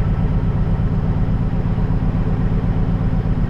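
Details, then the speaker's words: Semi truck with a Cat diesel engine, power loss, no check engine light: deep idle with uneven lumpy pulse two to three times a second, misfiring and loading up; suspected failing injectors, possibly cam, or engine needing overhaul. "hear how lot of engine sounding that's not right this is a cap motor this thing should be nice and smooth um he's either got some injectors going out on or he needs an overhead drastically bad"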